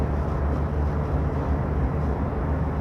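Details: Diesel vehicle after injector nozzle replacement, cam timing adjustment, system flush and setup to fix cold-start knocking and white smoke: deep, even rumble accelerating with no knock, tick or rattle; quieter and better acceleration, engine sounds healthy.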